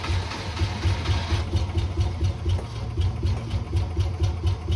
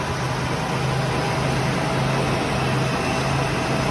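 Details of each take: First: Classic car V8 first started on pure ether, then fed gas: low, uneven, lumpy idle surging and sagging about two beats a second, like just waking up; fuel starvation. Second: Classic Ford engine (Maverick), first start since 2004, no fuel in the line yet: steady, even hum with a constant low note and no misses or knocks; the old engine idles smoothly.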